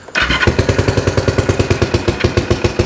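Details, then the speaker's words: 1974 Honda CL450 twin, first start attempt after 25 years stored, with fuel in it and battery on a charger: starter catches and it fires in quick uneven pops for a few seconds without settling into a run; air boxes checked next, cause not confirmed. "so let's hit the button hey oh that's getting there"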